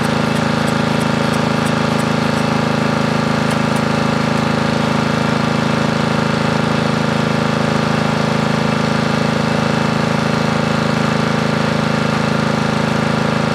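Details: Briggs & Stratton 13.5 riding mower engine bolted to bench, gas fed to bowl, earlier flooded, mouse nest inside: steady single-cylinder thumping, no clear stumble yet; runs but bogs and stops, owner suspects flooding/hydrolock or mouse nest.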